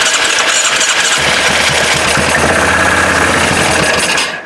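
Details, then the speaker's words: 1998 Yamaha Grizzly 600 4x4 that sat unused a long time, starting fluid sprayed into the intake: cranks, catches, and runs harsh and uneven with a raspy top end, only on starting fluid; carburetor looks gummed up and will be removed and cleaned. "hey so there's that so at least I know it runs so what I'm going to do is I'll take that carburetor off and uh clean everything up cuz it looks kind of gummed up in there"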